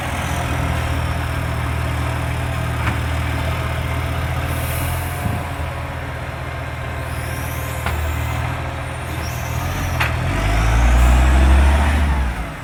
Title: NAWMA FOGO - 3520 *MAD EXHAUST LEAK*